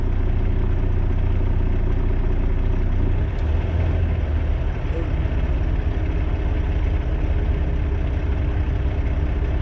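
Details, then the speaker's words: 2018 Volvo VNL760 diesel truck at idle raised from 600 to about 650–700 rpm by wedging the throttle: a steady low rumble lifts slightly in pitch as the idle comes up, running smoother. "that took me to 700 i really don't want to be that high but hell i ain't got to pay for the gas and the truck is running smoother so i'm gonna leave"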